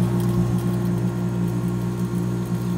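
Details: 1970 Emerson Television & Radio Quiet Kool 18,000 BTU room air conditioner, 20 amp plug, 12.7 amp draw, sat about 40 years, blowing very cold: smooth steady low hum, even motor drone, no rattles or knocks; normal running.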